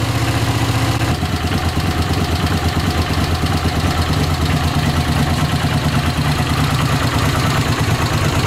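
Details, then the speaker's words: Honda CX500 twin, 30,000 miles, warm idle on fresh gas, no smoke: quick, even beat holding steady with no stalling; it no longer cuts out when given gas, running much better; front seal leaks oil when hot. "yeah it was cutting out whenever I give it gas it would cut out so yeah it's running a lot better not doing that cutting out thing or anything big difference"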